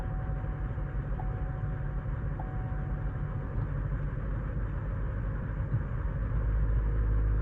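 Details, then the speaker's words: Chevy Cruze petrol engine fired up cold misfires with a deep, uneven stumbling idle, then runs fine; codes for multiple misfire and evap flow during non-purge, low oil pressure warning; later found faulty purge valve and loose spark plug. "But I'm just going to show you what happens when I fire it up. It misfires."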